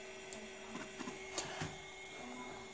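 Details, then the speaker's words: 20MB MiniScribe SCSI stepper-motor hard drive, which used to fail to boot, after a stepper motor repair: steady hum with sharp clacks and buzzy seeks as the heads are driven to track zero for alignment at startup. "but it does continue to make that sort of we noise which reminds me sort of a Commodores 1541 drive when it does it's sort of alignment thing where it slams the head into into the house a special"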